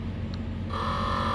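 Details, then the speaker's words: 2011 International DuraStar 4300 with Meritor Wabco hydraulic ABS, pump motors commanded individually: rear motor silent and dead, front pump motor whirs steadily at an even pitch over a low hum, running normally, 2000 psi. "can hear the front motor going. So the rear motor definitely is dead."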